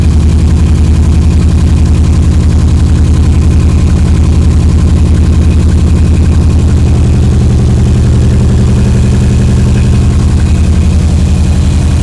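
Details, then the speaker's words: EJ22T with DOHC head swap on an EJ20G RobTune ECU, first start after the 1991 MSD coil pack wiring was found wrong: low, lumpy idle about four beats per second, misfiring on a cylinder not yet identified. Vacuum is around 10-15 and there is hissing on the right side. "it's definitely working is just misfiring for another reason yeah we got to figure out which cylinder it is"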